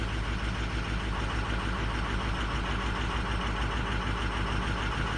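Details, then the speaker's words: Diesel truck with 260,000 miles, cold start idle: lumpy, uneven clatter; weak injectors on cylinders 4 and 6, which the computer is over-fueling to compensate, still within spec; 2 and 8 also look weak. "right now it is over fueling number four in number six so we're pretty much working the injectors it's still within spec within range"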